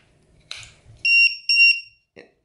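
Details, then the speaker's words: Shrill buzzer beeps in quick pulses from a cell-checker low-voltage alarm on an 18650 battery pack in an upgraded Delta Powerlite lantern; batteries two and three read zero because the balance-lead wiring was guessed and connected reversed. "and you hear the beeping all right here you go so the first battery is it battery two and Battery three are low it's showing zero so something's not right"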